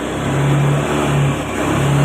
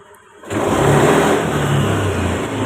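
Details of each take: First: Fuel-injected Honda Beat scooter, fuel pressure 30 instead of 40, before manual ECU reset: revs rise and sag unevenly, surging and dropping instead of climbing cleanly; engine still stumbles (brebet) under throttle. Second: Honda Beat fuel-injected scooter with hesitation (brebet) and stalling, pressure reading about 30 instead of 40; after a manual reset it catches and revs up quickly and cleanly, then settles without sputter; throttle response crisp, problem fixed.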